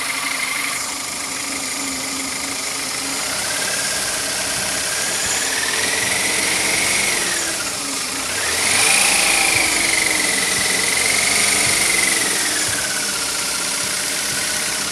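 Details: BMW E46 318i petrol at idle: a high whistling whine rising and falling in pitch persists after the water pump, all rollers, belts and DISA valve were replaced. A mechanic suspects a slack timing chain; the cause is unconfirmed.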